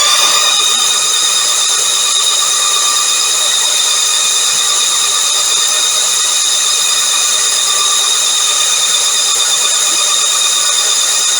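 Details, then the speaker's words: Norvil-built 2012 Norton Commando 850 MKIII with 900 miles, recommissioned after 10 years stored: steady whirring crank with even high whine holding speed, starter turning the twin cleanly; 85 psi oil pressure on the starter alone, oil returning to tank. "fabulous 85 PSI on the starter this is amazing and oil returning to the tank I'm really really pleased"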